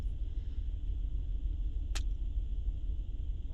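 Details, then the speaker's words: 2008 Honda Pilot at idle: deep uneven rumble with a stumbling pulse; scan data shows cylinders 5 and 6 misfiring; suspected bad coil or injector, unconfirmed. "you can see right away number five is pinning right away and painted pitting really really fast six is right behind it but not that rapid maybe a bad coil maybe a bad injector"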